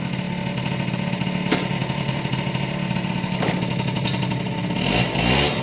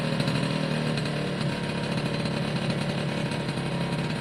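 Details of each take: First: Suzuki AP50 two-stroke after carb clean, on a quick road test run: revs up hard and pulls but sounds flat, lacking bite at full throttle under load, though otherwise running well. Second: Suzuki AP50 two-stroke after carb clean and refit with airbox, revved by hand (throttle cable not connected): buzzy revs climb and hold cleanly without stumbling or popping once the choke sorted itself out; smooth revving, sounds better.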